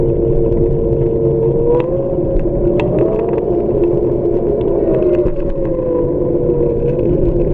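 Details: Xiaomi M365 electric scooter: steady whine rising and falling with wheel speed over a rough rumble; abnormal hub motor noise.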